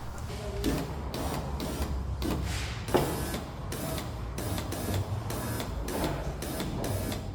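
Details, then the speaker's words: VW Sharan 7N front left window regulator and motor just replaced, first test run before glass reinstalled: smooth even motor drone in repeated runs, steady pitch, no grinding or clicking; working normally. "Everything seems to work just fine and as supposed to, so we're good to go to continue with our reassembly."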